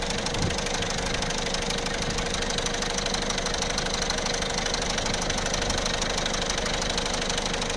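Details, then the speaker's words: 1.6 HDi diesel at idle: fast, fairly even metallic rattle over the clatter, about three a second, that grows louder and fades, sometimes disappearing; the chain linking the two camshafts is slack with a broken tensioner guide. "الحس هذا يقوى ويتنحى، يقوى أقوى من هكا يولي ويتنحى ساعات ما عادش نسمعوه."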